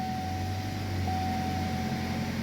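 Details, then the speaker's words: Chevy that had P0011/P0014 codes, first start after timing work, cold, before warm-up: steady, even idle hum with a faint constant whine and no ticking or knocking; engine runs smoothly after the repair. "I'm not hearing any weird noises, so that's good. The engine sounds good."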